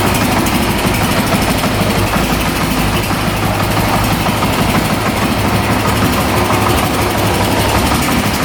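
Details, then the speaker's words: 2008 Honda TRX700XX 700cc single-cylinder quad idling with a strong, even thump, no misses, rattles or knocks; running perfect, no issues. "it sounds like it's running perfect. No issues there."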